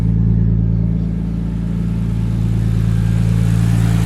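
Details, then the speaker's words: Nissan Skyline R33 RB engine after ProFlow LS alternator kit install for voltage loss; smooth even idle, no misfire, no belt squeal or chirp, dash reading 14.1–14.2 V; normal idle. "It actually sounds like it's running a lot nicer. There's no weird belt noises."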